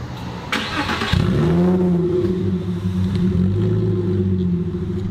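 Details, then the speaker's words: 1997–99 Porsche Boxster with a custom sidewinder cold air intake, after alignment, before its first test drive: quick crank into a loud, raised cold idle that settles steady with no misfire or knock; normal cold start. "it does not sound like a boxster i don't know what it sounds like but it sounds good"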